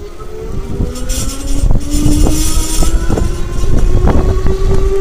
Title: Lectric e-bike screeching noise from motor